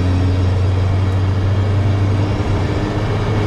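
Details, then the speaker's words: 1996 Chevy S10 2.2 L manual, over 260,000 miles, after fixing injector circuit (P0200) and misfire problems, driving in gear: smooth, even low drone under load with no stumbles or misses; runs healthy. "iran's okay no more misfires everything looks okay"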